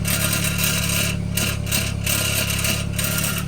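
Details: 2013 BMW 328xi F30 idling on a lift: uneven loose buzzing rattle from the rear exhaust, traced to a hanger missing its fixing clip (fixing bow); rattle gone after fitting it.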